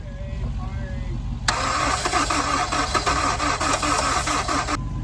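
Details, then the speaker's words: Wrecked Honda S2000 with an engine of unknown condition, being cranked with a makeshift setup: the starter turns slowly, about one and a half turns a second, for three seconds without catching. Slow cranking, battery suspected of draining. "think it's it's hard. It's having a hard time cranking. Like it's you know the like you said the battery is uh draining"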